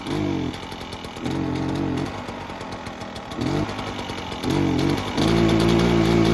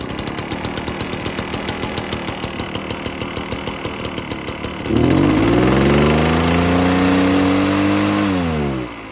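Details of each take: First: Echo PB-403T two-stroke backpack blower that sat for years, previously ran only on half choke and wouldn't rev to full throttle: now pops to crisp revs and drops to idle repeatedly, then holds high without stumbling. Normal idle and revving after the work. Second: Echo PB-403T two-stroke backpack leaf blower that sat for years: runs only on half choke with uneven popping, revs weakly, sags and drops back; stalls without choke, won't reach full throttle; dirty carb suspected.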